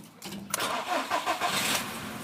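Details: Skoda Rapid that had cranked but would not start, with the scanner showing no relevant fault; a fallen bolt was found, apparently in the ignition circuit area. Now a short crank, it catches within half a second and idles steadily: normal start.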